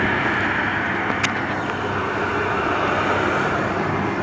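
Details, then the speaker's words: Oil burner on a boiler or furnace at its annual tune-up, just lit after bleeding air from the oil line, fitted with a 150 60-degree nozzle: steady even roar with no pulsing or sputter, firing cleanly. "now this is a 150 60 degree so we're basically going straight down the middle let me shut this off that's a gorgeous fire"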